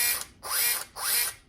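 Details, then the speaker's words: Axial SCX10 III RC crawler that wouldn't climb out of a creek, held in hand: the motor whirs up in short bursts with a loud, fast ratcheting chatter while the wheels stay still. The owner suspects a slack slipper clutch or spur gear nut. "Not going anywhere, so you got no power. So I think inside the gearbox here, the nut what holding on the spur gear is slack with the slipper clutch and all that."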